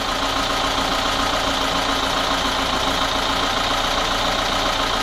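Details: VAZ 21213 engine at idle after valve adjustment and timing chain tensioning: fast irregular light tapping about three to four per second; owner suspects the camshaft, not confirmed.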